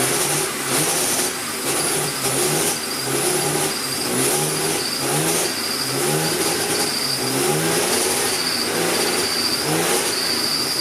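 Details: Jaguar AJ30 (Duratec) V6 swap, engine reinstalled, first start after five to six weeks dormant: catches almost instantly, settles to even idle with a few light throttle blips; healthy.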